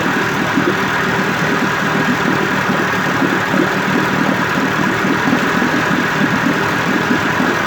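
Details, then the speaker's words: 1958 Evinrude 18HP Fastwin two-stroke outboard after rebuild (replacement powerhead, new rings, crankpin bearings, NGK B6S plugs), 30-weight oil mix, in water, cover on: steady, busy idle burble at even speed, no misses or surges; healthy. "Now here's the motor running with the cover on for the first time in probably 25 years."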